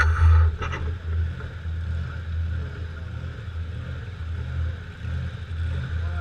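Starter churns steadily with a rhythmic low chug, but the engine never catches or fires: cranks but won't start.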